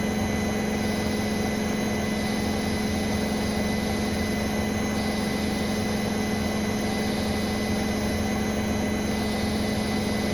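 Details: Brand-new Bosch Serie 4 WAN28281GB washing machine on its final balanced spin: a steady high-pitched squeal over the spin hum; the seal is clear of the drum, and the owner suspects the bearings or the EcoSilence drive belt; unconfirmed.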